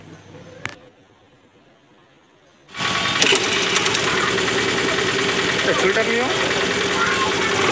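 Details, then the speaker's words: Honda Activa/Grazia scooter after fixing a self-start problem by nudging the pickup coil slightly toward the magnet with a screwdriver: quiet, then the engine catches at once on self-start and settles into a steady, even idle; normal start and idle. "तो ज जैसे कि दोस्तों आपको हमने live proof दिखाया है यह प्रॉब्लम सॉल्व करके"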